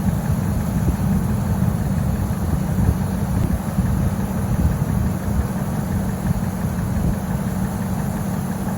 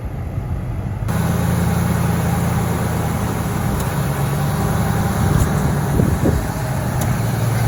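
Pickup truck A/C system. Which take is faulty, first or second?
second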